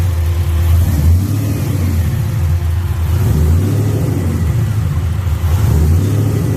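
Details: Warm V8 just wired to a Holley ECU that now runs the fuel pump and fans: deep, steady rumble with a few gentle throttle blips, running evenly with no misses. Normal start and rev.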